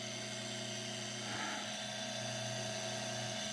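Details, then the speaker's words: Fertilizer injection pump motor, bench-tested after fixing a loose strainer connector: steady even hum with constant high whine, no knocks or surging; runs smooth, so owner doubts bad brushes or capacitor and turns to the gearbox. "That sounds good, runs smooth. So unless the brushes are bad, or I don't think it would even run if a capacitor was bad."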